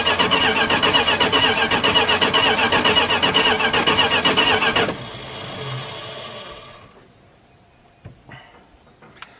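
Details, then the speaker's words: Dodge D150 pickup, engine unstarted for at least 25 years, ignition jumpered: even starter cranking at about four beats a second for five seconds, never firing. There is no spark from the coil; a bad distributor is suspected. "I have no spark coming out of the coil, which means we either have a bad distributor"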